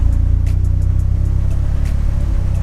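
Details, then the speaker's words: Car running rough with a cheap fuel pressure regulator and Bosch 044 pump: deep uneven idle thumps with a periodic shake and misfire while new O2 sensor is plugged in; unplugging it clears the miss, owner suspects O2 sensor signal. "all right so that's what it sounds like now and it's got a bit of a shake to it a bit of a rough idle now"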